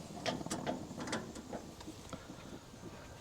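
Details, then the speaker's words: Weber Spirit E-310 three-burner gas grill with new igniter and burners: quick crisp clicks about two per second, fading toward the end; gas smelled but not lighting until the bent igniter probe was adjusted. "all right I smell gas I hear the clicking but it's not working"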